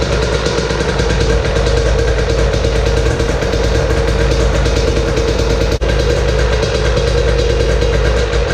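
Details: Husqvarna TE 300 TPI two-stroke, cold start after fuel pump filter replacement, kickstarted on stand: settles into a steady, even, crackly idle with fast regular beat, no knocks or misses; healthy.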